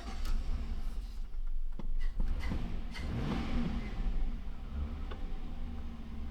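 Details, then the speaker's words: Chevrolet Silverado 1500 with rebuilt junkyard 5.3 Vortec LS V8, deep steady rumble rising smoothly under throttle, no knock or miss; engine sounds healthy after swap. "But the motor sounds great. That's the pick a part motor, guys, that we actually basically rebuilt for the client."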